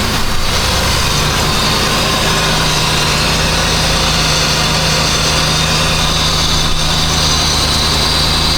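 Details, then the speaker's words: 2006–2007 Jeep Grand Cherokee 4.7 V8 at idle after valve cover refit following misfire (fouled plug found): smooth steady idle, even hum, no skips, though a few misfire counts still seen before warm-up. "It seems pretty smooth."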